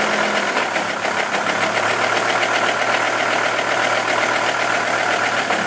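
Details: Volvo V70 driving in third gear with lights on, steady raspy whirring with fast rhythmic pulse over engine noise; suspected wheel bearing, unconfirmed.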